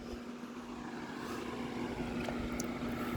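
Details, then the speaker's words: Vornado 280SS 10-inch high-velocity desk fan, mid-1990s, solid-state variable speed control, being turned up toward high (~60 W, 1.01 A): steady powerful rushing airflow with faint constant hum, no rattles or ticking; normal running. "so just up a little bit more really moving the air I'm trying not to deafen y'all with wind noise but it's kind of hard to because this thing is so powerful"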